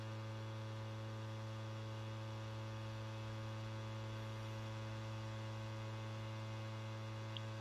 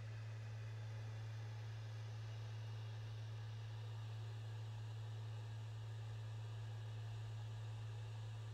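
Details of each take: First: PlayStation 5 copying Crash Bandicoot 4 data from disc to SSD: steady low buzzing drone with firm hum; noise not the Blu-ray drive or disc but a loose side panel vibrating. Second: PS5 Blu-ray drive after securing a loose side panel that caused rattling: steady, low, even hum of the disc spinning smoothly, no rattle.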